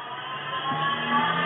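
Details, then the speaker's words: 3020 CNC router spindle under electric power, speed increased: steady electric whir rising in pitch with growing hum and perceptible vibration felt through the machine; caused by a bent output shaft. "but that is developing a perceptible vibration it's i can feel it in the machine in the workshop that should not be happening"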